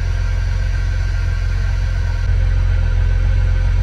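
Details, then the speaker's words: Jeep Rubicon, about 1,700 miles, rod knock suspected earlier; cold start after sitting overnight: steady, even low idle with no knock or tick, holding oil pressure, though it was slow to start. "like how long it took the start and how we can sounded but it's running and it's not knocking and it's not clicking so that's good and it's holding oil pressure"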